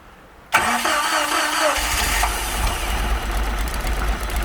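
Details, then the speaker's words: Chaparral boat engine after the defective aftermarket carburetor was replaced with the owner's original carb, rebuilt: cranks about a second, catches cleanly and settles into a steady, even idle. Runs well with no flooding. "Started and running good."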